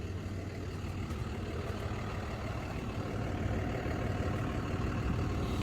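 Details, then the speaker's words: Polaris Trailboss 250 4x4 single-cylinder, rescued from scrap, running after pull start: low, slightly uneven idle loping under a steady rumble; idle set too low, about to be raised with the idle screw. "Just start back up. I might have to turn up the idle real quick for a sec."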